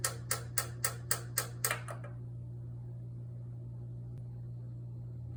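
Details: Kenwood EW7507EK oil-filled radiator heater not working, lights blinking: sharp dry clicks about four a second for two seconds, then a low mains hum; thermal cutoff switch lacked proper contact with the radiator, and reseating it fixed the heater.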